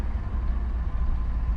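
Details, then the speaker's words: Mitsubishi Lancer stopped at a stop sign: smooth, deep hum held at about 2,000 RPM with no hunting; high idle that drops when the gas pedal is pulled back. Idle control valve and throttle body checked without a fix. "check it out guys I have this Mitsubishi Lancer I have any issues with the idle high idle right now I'm on the stop sign and I'm getting about 2 000 RPM"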